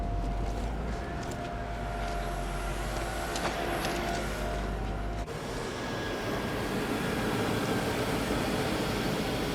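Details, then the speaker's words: 1996 Land Rover Discovery 1, 4.0 V8, after repairs including valve cover gaskets: even, steady idle with no misses, knocks or hunting; engine running back to normal. "smooth, running 4-liter D1. Yeah, you know, it's just back to normal, right?"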